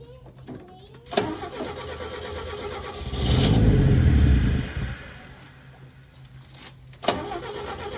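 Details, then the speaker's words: 1962 Chevy Biscayne, original 235 inline-six, with new makeshift temporary exhaust pipe: one muffled, choked rev swells and drops to a rough idle; exhaust plugged, peanut shells found inside the pipe. "Uh-oh. That ain't good. She's plugged up."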